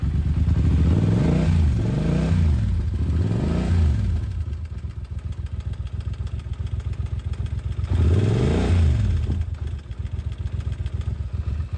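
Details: Yamaha TDM900 motorcycle twin: loose metallic clatter at idle and through quick revs from a stretched cam chain; cam chain rattle.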